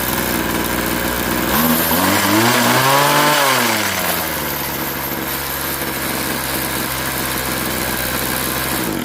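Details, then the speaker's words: Craftsman 21cc Bushwacker two-stroke hedge trimmer, warm restart after sitting about a year: smooth rising then falling revs settling to an even idle without misses; runs and operates fine. "And yeah, so it runs fine. It operates fine."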